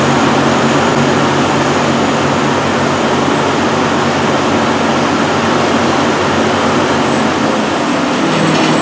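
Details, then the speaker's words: Rebuilt chip/dust collector blower, first test run after reassembly: a steady, even roar with no bearing growl or wobble, and a light rattle of chips going up the pipe. It is much quieter and smoother than before the rebuild. "as you can see it runs a whole lot quieter a whole lot smoother"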